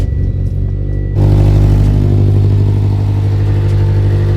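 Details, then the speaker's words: Built Mitsubishi Evo X at idle after front downpipe-to-test-pipe exhaust gasket replaced, heard from underneath: loud low idle with a fast puffing tick about four per second; front joint sealed, a joint further back still leaking. "Oh yeah, that's definitely leaking right there, right up top."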